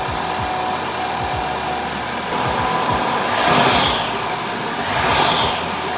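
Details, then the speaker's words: 2023 Audi A4 TFSI 35 after engine swap, intake now sealed: two revs with hissy rising whistle from the intake airbox; owner suspects a boost leak, unsure, sounds like an induction kit or dump valve. "Um there is a noise that's not not what I was expecting. Yeah, it it sounds to me like there's a boost leak or something, but um I'm really not sure or or it sounds it sounds like there's an induction kit or a dump valve or something on it"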